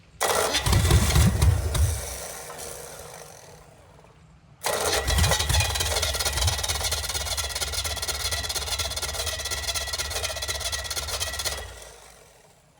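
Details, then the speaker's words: Engine bought with a reported knock and said not to run; cranks, catches, restarts and settles into a steady, even idle with no knocking, sounding like a good motor. Normal start and idle. "Man, this sounds good to me. What do you think? I don't hear no knocking. I'm gonna have to call that a good motor."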